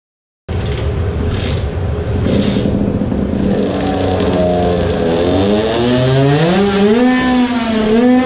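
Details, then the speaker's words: Tuned two-stroke moped engine on a dyno with both transfer ducts fully plugged: buzzy rising revs, smoother and misfiring less but weak; made 7.1 hp, losing much power while revving higher. "now it clearly sounded like it was weaker maybe we have 20hp now when half of the ducts are plugged?"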